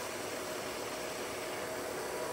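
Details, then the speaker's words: WMW-Heckert dual-spindle universal milling machine (1800×500 mm table), vertical spindle at its maximum 1800 RPM; a steady even whirr with a faint constant tone and no knocks, rattles or grinding; a healthy spindle. "Working of spindle at its maximum speed, that is 1800 RPM. You can hear there is no extra noise from the"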